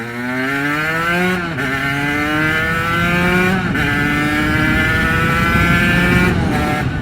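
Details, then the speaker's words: Aprilia RS125 1990s two-stroke, hot, riding on new King tyres: crisp wail climbing cleanly through the gears with sharp drops at shifts, no hesitation; fuelling spot on, pulls clean. "she's running sweet, boy. Sweet, that pulled lovely."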